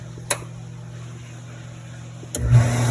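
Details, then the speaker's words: 2009 Sundance Maxxus spa, jets button pressed: sharp relay click on circuit board, then low steady hum, pump does not start. "I can hear it clicking on the circuit board, but nothing's happening."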